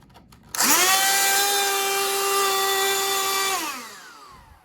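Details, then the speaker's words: Old Black+Decker CHV1410L 16V Dustbuster cordless vacuum, with bad smell: motor spins up to a harsh buzzy high whine, holds and winds down; abnormal motor noise, owner suspects the motor brushes. "it sounds terrible and there's a bad smell. So I think something's going on with the brush in here."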